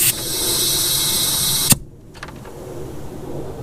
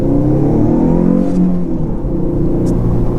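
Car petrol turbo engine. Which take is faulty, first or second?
first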